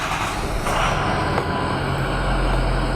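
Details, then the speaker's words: Ford 6.0 Powerstroke diesel V8 after fuel injector replacement and high-pressure oil bleeding: short crank, then catches and settles into smooth even idle, no misfire or knock; normal start and idle. "Good deal, it started. It's run on all 8 cylinders at the moment, or it certainly feels smooth."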